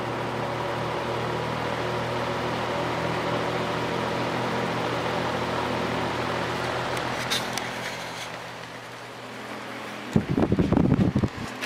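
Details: Patton U2-0018 18-inch three-speed high-velocity fan, blade pitch increased, startup on high: steady even hum settling without rattles or ticks; motor within spec, runs quieter; normal startup and running.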